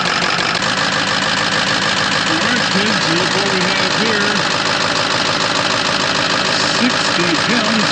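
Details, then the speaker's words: 2006 Ford F-550 6.0L Powerstroke diesel at idle after a blue spring kit install in the fuel pressure regulator, which replaced a damaged O-ring that had kept fuel pressure at 45 PSI or less; now 65 PSI. Steady, even clatter that settles smoothly and sounds healthy. "So anyway, it sounds good now. Listen to that."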